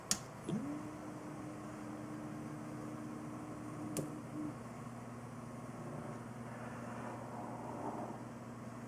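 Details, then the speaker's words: H100i AIO liquid cooler pump, powered alone through SATA from a hot-wired PSU: very quiet, steady low hum with a faint constant tone and a couple of handling clicks; the pump runs smooth and healthy. "so as you can see the pump is actually very very quiet"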